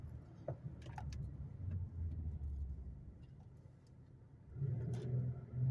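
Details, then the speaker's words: 2008 Buick Lacrosse CX 3.8 L after new sway bar bushings, on a test drive: quiet low hum under a quick stop and quick acceleration, with no front-end thump. The earlier braking clunk is gone; a rear noise is probably the toolbox. "Then quick acceleration. I'm hearing something in the back, but I think that's just my toolbox. So yeah, the clunk is gone."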